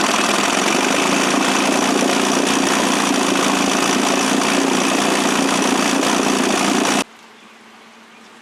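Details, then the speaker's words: Johnson 9.5 hp two-stroke outboard, roughly 1966–1972 (listed as 1969), after carb kit fixup, choke used, unloaded: steady buzzy drone for seven seconds then cut off; a little smoky but runs half-decent, needs on-lake tuning. "it's a little bit smoky but you can't fault it for that seems to run half-decent"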